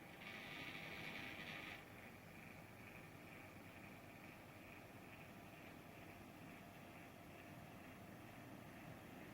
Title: 이노크 INOQ 써큐레이터 선풍기 소음문제 (IA-C12) 3/3